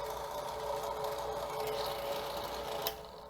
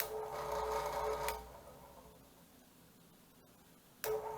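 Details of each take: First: Drill press motor switched on. It gives a steady electrical hum with no run-up, then fades off; it runs only if twisted by hand. Failed start capacitor in the housing on the back of the motor. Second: Drill press 120 V AC motor after its failed start capacitor was replaced with a new one. Two clean switch-ons, each with an immediate steady hum and no groaning or stalling; it now starts on its own without a push start. Normal.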